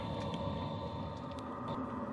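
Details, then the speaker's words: BougeRV all-in-one diesel heater on the low setting, pumping hot air (about 125°F max) under RV skirting: steady low rumble, even whirring fan and faint high whine, running normally and not overly loud. "So, running on the low setting, it's not overly loud. Like, I don't think it would annoy anybody in the camp ground, especially in the winter, cuz the actual water heaters and the furnace are probably even louder than this."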